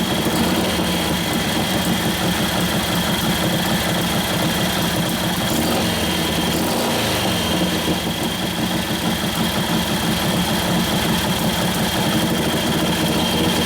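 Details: 1941 Harley-Davidson WLD 45 flathead V-twin, 56ci stroker build, warm after carb tuning: steady lumpy beat with no spitting, popping or misfire; healthy, sounds better than before and like it has a cam.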